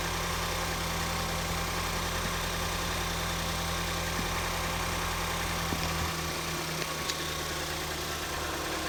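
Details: 2014 Ford Escape 1.6L after head gasket replacement, warmed up and driven: smooth, even low hum at idle with steady pitch, no ticking, knocking or misfire; runs healthy, repair called a success.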